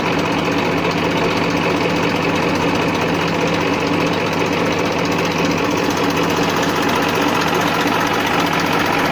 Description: This my 94 model Massey Ferguson 1035 DI. Take an overview on the engine humming sound.